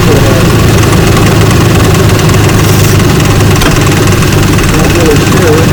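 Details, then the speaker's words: 2004 Ford Ranger FX4 4x4 4.0 V6 with 275,000 miles, after a coil and plug wire replacement for a misfire code: loud, steady, even idle rumble with no stumble or skipped beats; normal idle, owner suspects a separate noise from the AC compressor. "Make sure we don't have any more firing, but misfiring, but it's, boy, it sounds beautiful."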